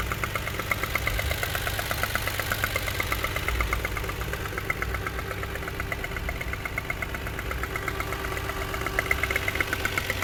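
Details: 1JZ-GE engine the next day, knocking at idle: a sharp knock about three times a second over a steady idle. Cause unknown.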